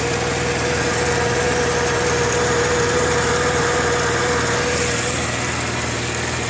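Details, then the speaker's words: 1998 Mercedes ML320 engine idling just after an oil change: steady whine with quick even ticking; owner unsure whether tensioner or something inside engine. "Just did an oil change. But it still has like a whining, ticking sound. Don't know if it's a tensioner or something in my engine."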